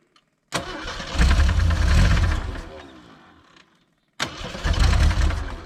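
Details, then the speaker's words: 1980 Jeep CJ with a 258 inline-six that sat about 20 years. It catches and runs briefly, then dies once the extra power source is removed, and catches again on a second start; something is missing in the ignition. "it has enough to crank it but as soon as I take that away it stops and that's because there's something missing in the ignition"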